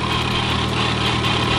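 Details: Supercharged Lamborghini at idle: a light, fast metallic rattle over the engine, louder than the car itself. A stethoscope traced it to worn idler pulley and tensioner bearings.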